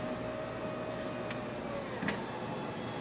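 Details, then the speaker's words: Toyota RAV4 power window closing on an obstruction: thin motor whir, then a short jolt at about two seconds as the glass stops and reverses under slight pressure; anti-pinch auto-reverse working properly. "Okay, there was a little bit of pressure, but not too much, and as you can see, it immediately went down, which is exactly what we are looking for."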